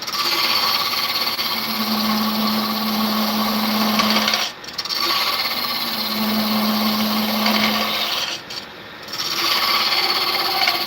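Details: Wood router cutting deep into a piece: fast rattling buzz during each cut, stopping between passes, as the bit works beyond its reach; tool chatter.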